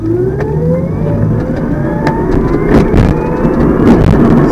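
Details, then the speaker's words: Electric car with custom controller, battery near full at 462 V, fairly heavy-throttle start in sensored mode: smooth whine climbs steadily in pitch with no clicks, stutter or audible sensorless transition; healthy drive after start-code revisions. "so the regen is gonna make slowing down a little funny but here's another fairly heavy foot start"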